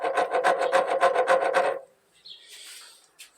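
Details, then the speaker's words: 2002–2003 KSZ motorcycle engine with a strange noise, clutch and gearbox removed and the crank turned by hand: a gritty rasp rising and falling about four times a second from rough, worn bearings, all to be replaced. "olha como dá para sentir que os rolamentos estão Olha só o chiado que dá isso aí então nós vamos trocar tudo isso"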